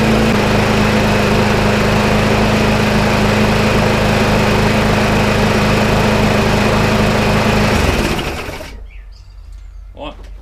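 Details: Sitting McCall Star lawnmower, after slow-running adjustment: steady, even buzzing run at constant speed with no surging or misses until shut off.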